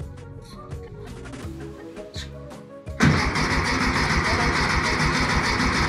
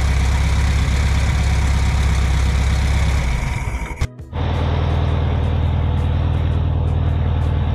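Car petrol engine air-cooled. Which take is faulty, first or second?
first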